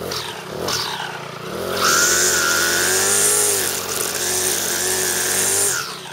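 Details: Troy-Bilt four-stroke weed eater after clutch repair and reassembly, cold on half choke after priming; buzzes high and steady, climbing and falling smoothly with the throttle, never bogging; runs strong and healthy.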